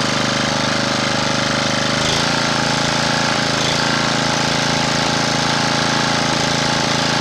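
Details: Honda GX240 engine after re-cleaning the carburettor idle circuit passages and jets to cure surging: loud, steady, even chug at constant speed with no hunting or surging; the engine runs smoothly.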